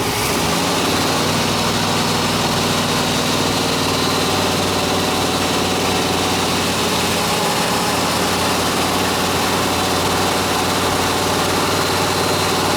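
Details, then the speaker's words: 1987 Chevy square body small block V8, steady idle after fuel system cleaner treatment: a constant hissy puffing sits over the exhaust note; owner suspects a leaking exhaust manifold or donut gasket on this side. "On this side you can hear it. I think it's the exhaust manifold is what I think it is on this side."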